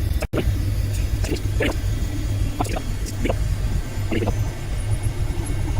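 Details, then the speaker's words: Citroen BX petrol engine on the ramp after subframe and arm refit, breather system off, exhaust smoky, possibly from old diesel soot: steady low idle with faint regular ticking from the running hydraulic pump, slight tinkle in the resonator; normal idle. "So, hear the pump running. Seems well so far."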